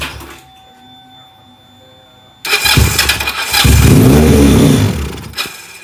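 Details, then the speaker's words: Benelli PE 250 FI before repair, fuel pressure fine at 40 PSI: quiet, then fires and hangs at a high, flat idle that won't pick up with throttle; faulty MAP sensor. "Jadi seperti itu teman-teman ya, motor ini hidup cuman tidak mau digas ya. Jadi idle motor ini ngaco juga, terlalu tinggi ya."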